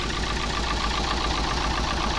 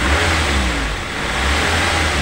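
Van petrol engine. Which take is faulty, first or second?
first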